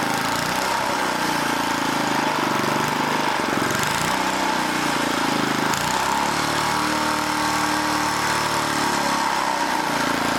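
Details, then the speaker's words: Old 1980 rototiller small engine surging, pitch wandering up and down; the throttle link, bent and distorted by someone, is binding and hanging up, so the mechanic tries straightening it. "hold on hold on this link is hanging up that's part of our problem why it keeps going crazy because somebody was in there bending on it got it all distorted"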